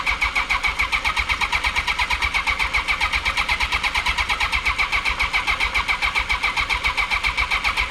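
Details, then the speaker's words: 1982 Honda CB750K with cleaned carburetors, hot-wired ignition, temporary fuel supply and choke pulled: steady starter whir with even compression pulses about four a second, no firing. Spark confirmed; probably flooded. "All right, since I can't get a start, I want to see if it'll spark. Yep, I can see a spark."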